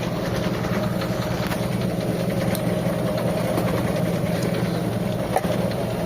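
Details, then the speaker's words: Mitsubishi Lancer EL, cold, after service (carb cleaned, new radiator, water pump and tensioner bearing): one-click start, slow, slightly lumpy idle, low because the cold-start device isn't working; should rise as the engine warms. "Yan, hindi kasi gumagana yung cold start natin mga bossing kaya mababa yung minor niya. Pero good thing mga bossing, one click start siya."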